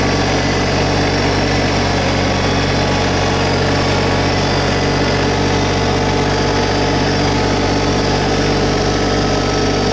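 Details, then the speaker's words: 2022 LS MT125 compact diesel tractor, about half an hour on it, just fired up: loud, even diesel clatter at raised idle, steady pitch and level, no knocks or misses; sounds pretty good, normal running. "So we're going to go ahead and get it fired up. Sounds pretty good."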